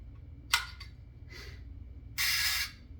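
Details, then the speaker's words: Perfex Forty Four camera shutter at 1 second slow speed: sharp click, then a half-second clockwork escapement buzz that stops abruptly without completing; owner suspects old gummed oil, plans cleaning and lubrication. "and here's 1 second doesn't quite make it across so I believe there is old oil gummed up inside this"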